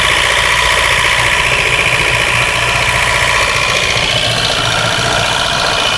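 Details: 1992 Mazda 323 with B6 petrol engine, very hard to start, idles roughly with an uneven, stumbling beat: a horrible misfire, cause unknown.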